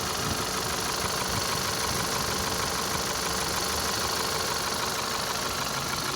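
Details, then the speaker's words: 2012 Volkswagen Passat CC 2.0 TSI (EA888 gen 1, CCT), 189,000 km, cold engine at idle after oil top-up: sharp metallic tapping keeping time with engine speed, unchanged by fresh oil; piston knock. "Ну, звук как был, так и остался. Он не стал, не поменял ни частоту, ни тональность, ничего, все осталось как и было."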